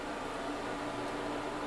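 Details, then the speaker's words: Furnace/AC condensation pump with a cracked basin, water leaking around the coils: small motor hums steadily at a low, even pitch for a few seconds after the float rises, then stops as water flows back; suspected failed check valve, pump being replaced with Little Giant VCM-15UL. "can see the float comes up and it runs well for a few seconds after that and this apparently is a checkpoint that might have been my problem to begin with but as you can see it's not really working because the flow just went back and forth"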